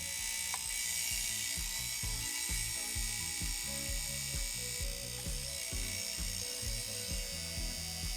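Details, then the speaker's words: IBM PS/2 Model 30 stepper-motor hard drive at power-up, heads manually moved to the other end of their track beforehand: quick regular clicks about two per second as the head reaches the end of its track; stepper rotates a few degrees per power-up. "if I keep rebooting the computer eventually the stepper will be back to where it was and the noise he was making was just the head reaching the end of the track"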